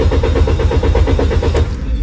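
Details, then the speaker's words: Car cranks evenly at about four pulses a second but never catches. The throttle valve had been replaced and the spark plugs, ignition coils and oil lines checked without a fix. "did you see it this car won't start no matter what do you know why"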